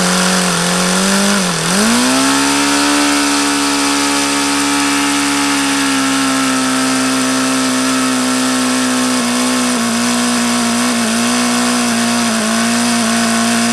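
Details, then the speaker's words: HP VT 21 rotary-valve four-stroke glow engine: pitch dips almost to stalling, then climbs to a high steady buzz with small wavers; owner thinks the low speed is still rich, so he is leaning the low-speed mixture. "like it's still rich that's why I was going leaner on this low speed because that's what that seems to indicate"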